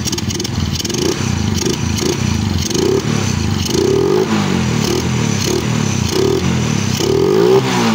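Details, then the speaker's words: Suzuki Raider J110 carb-type bike after a valve clearance check and carb idle tuning: the small single settles at a steady idle and picks up crisply on each throttle twist without stalling. It runs fine, though slight smoke was noted. "Ayan mga idol. Okay na siya uli. Okay. Okay to."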